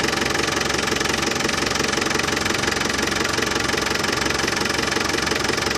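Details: Land Rover Defender 200Tdi diesel idling after new power steering pump fitted, during fluid top-up and bleeding: even clatter about three beats a second, no pump rattle; new pump cured it.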